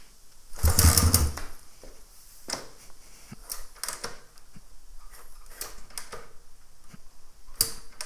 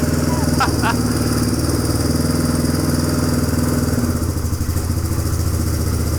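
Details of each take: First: 1997 Suzuki DR350 single-cylinder dirt bike after a new flywheel key was fitted: scattered sharp pops and stumbles, then a lumpy, low idle. It backfires and won't hold idle, though carburetor settings are unchanged from a faster idle minutes earlier. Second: 1997 Suzuki DR350 single-cylinder dirt bike after a new flywheel key was fitted for backfiring and erratic idle, warming up: even thump at a steady idle. A stuck throttle is suspected, and the owner later thinks the idle may still be unsteady.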